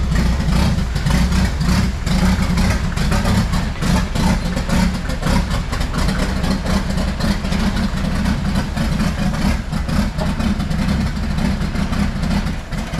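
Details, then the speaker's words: Jeep Wrangler YJ with swapped-in Mercedes diesel, lift kit fitted: rough, heavy idle with a steady clattering knock over the low rumble; owner suspects injector knock, and it smokes heavily, likely needing injector pump adjustment. "just had that smoke issue and it sounded like I had a little injector knock"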